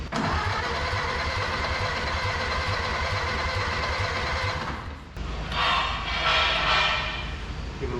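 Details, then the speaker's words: Barn-find 1930/31 Ford Model A coupe, unused since 1964, first start attempt with a leaking carburetor: the starter churns about three beats a second for five seconds with no fire. With the choke off it won't catch; it needed to be held on full choke. "chok's off I think you got to just choke it you just you just got to choke"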